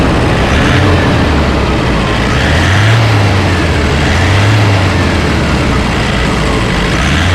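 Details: Toyota Innova D-4D diesel that had knocking and low power with codes P0106/P0069 (MAP sensor circuit and correlation), idling after codes were cleared. Steady, low, even throb with no sharp knock standing out; idle sounds normal.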